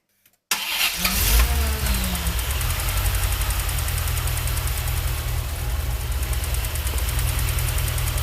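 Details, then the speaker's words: 1989 Corvette C4 TPI engine after replacing the fuel injectors with Bosch 3 style units and the fuel regulator, started with a jump starter: cranks, catches quickly and settles into a steady, smooth idle. Before the repair it would not idle and just died. Normal idle. "well that's a success this car wouldn't idle before I did any of this it would just uh die"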